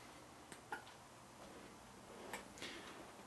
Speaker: clicking noise you hear of course that's the sound of the relay clicking the lights off and on